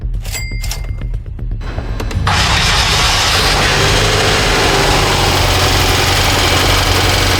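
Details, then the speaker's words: Auction-bought 2016 BMW F10 M5 V8, decade old. After the start it settles into a fast idle with a steady, regular knock from a worn rod bearing. Rod knock, engine considered toast and being removed. "There you guys go, that's what rod knock sounds like, So the motor's toast."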